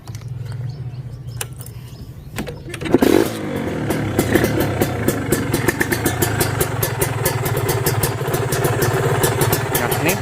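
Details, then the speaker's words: Kawasaki Ninja RR/R two-stroke being checked before purchase: catches after a few cranks and settles into a crisp, even popping idle with a solid, steady beat, block still tight, slight hissing; normal idle. "ini bunyi bloknya sendiri masih bagus posisi langsam dia masih padat"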